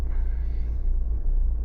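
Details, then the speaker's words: Renault Megane 1.5 dCi diesel at cold start: deep, uneven rumble, shaking and stumbling as if on three cylinders; cold misfire from one faulty injector shown by a bottle test, running fine after about 5 minutes warm. "You see, now it starts really misfire. Can you hear?"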